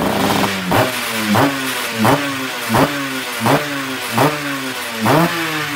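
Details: Restored Yamaha Tiara S120 (Thailand) two-stroke, engine set up: crisp blips about every three quarters of a second, pitch rising and falling cleanly, revs freely; normal revving.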